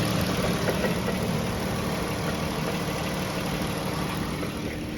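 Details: Pentastar V6 at idle with a light irregular knock about three per second; several second opinions say most likely a piston wrist pin, not confirmed.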